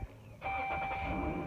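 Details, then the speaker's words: 2011 Dodge Grand Caravan after bypassing the faulty TIPM fuel pump relay with a 14 gauge wire: brief crank, then engine catches at once and runs steady; normal start. "let's see how it starts when we turn it on we are going to hear the fuel pump turn on and I will walk back over there you should hear a nice whirring sound"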